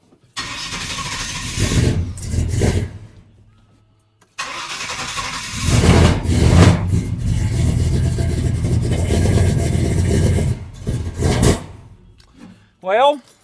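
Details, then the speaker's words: V8 truck first start after distributor rewiring: cranks and fires twice, then runs with an uneven, lumpy beat and stumbles under revs; owner suspects wrong firing order or timing far off (firing order later confirmed correct); rough running. "well it's running but it ain't right I don't know if I got the fireing order wrong or if timing is that far off"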